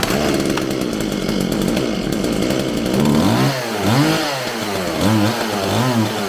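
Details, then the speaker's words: Homelite 4620C 46cc two-stroke chainsaw after recoil starter fix, carburetor cleaning and new fuel lines, first run after choked start: revs surge unevenly and pitch sags as throttle closes; throttle hesitation, carburetor adjustment to follow. "all right it seems like it has a little bit of hesitation off the throttle so i'm gonna adjust this a little bit and see if i can't get any better"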